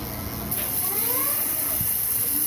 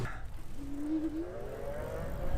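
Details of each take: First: Super73-Z1 e-bike rear hub: faint steady hiss with a thin rising whine only when throttle is applied; owner suspects a worn freewheel. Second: Super73-Z1 e-bike hub motor after fixing freewheel squeal and clunking: smooth hum rising in pitch as the wheel spins up, no clunks or knocks; normal hub motor hum.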